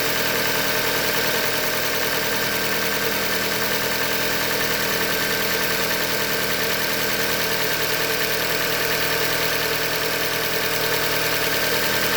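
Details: 2015 Hyundai Elantra Limited, 91,000 km, idling: dull, regular tapping about three per second under a steady idle, bottom-end knock from short block failure, a Hyundai manufacturing defect.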